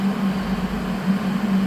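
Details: HL 1060Z 100W CO2 laser cutter water chiller running after power-on (green LED lit): a steady low hum at an even tone, no knocks or rattles. The compressor is running smoothly and healthy; hot air blows from the back.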